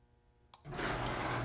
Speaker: I can hear the relay clicking back off after about two seconds of being on so it just clicks on waits two seconds clicks back off